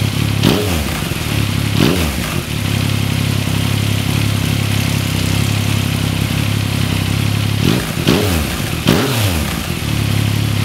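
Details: 2014 Yamaha MT-09 triple, 28,000 km, with the auto cam chain tensioner slackened on purpose: dry metallic clatter over the idle, swelling on each throttle blip, is cam chain slap. Rattle first appeared around 6,000 km. Fix is an M6×25 bolt lightly bearing on the tensioner, not overtightened.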